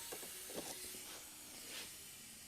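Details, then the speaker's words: 1989 Honda Prelude A/C system under air pressure test: sharp steady hiss of escaping air, traced to the receiver-dryer fitting left untightened; air leak at loose fitting. "I'm hearing hissing but is that coming from the system or is that coming from the hose's"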